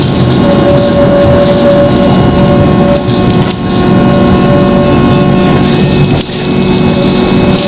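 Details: GT6M tram no. 214, onboard ride: steady mid-pitched whine over running rumble, most noticeable at the start; unusual traction motor noise, cause unclear.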